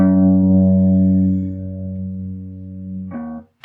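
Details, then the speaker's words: Ampeg Super Jet SJ-12T tube combo amp: held guitar G note carries a faint buzzy rattle from a microphonic tube vibrating in its shield, which was missing its foam piece; fixing the shield stopped the buzz. Microphonic tube rattle. "that tube is just rattling let's see if we can do something about that rattle"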